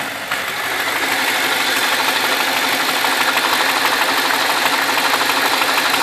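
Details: BMW 645ci with N62 V8 at idle: a busy metallic ticking rattle, about three per second, over a steady idle; owner suspects the timing chain in the right cylinder bank, directly under the oil filler.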